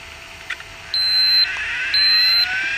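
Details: Sharp PC-4500/PC-4521 laptop with hard drive trouble, drive arm locking mechanism suspected stuck or arm motor dead: two long shrill beeps about half a second each, a second apart, warning the drive fails to start; cause suspected, not confirmed.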